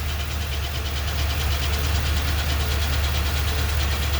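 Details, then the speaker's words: 2020 Ford F250 Super Duty 7.3 with 10-speed automatic, about 850 miles: deep idle with faint rough grind about twice per second, only in drive with brake on; disappears with throttle; owner attributes it to defective first-generation transmission. "it's in drive i got the e-brake on and it only happens when it's in drive and you got your brake on that's it as soon as you push the gas the sound goes away"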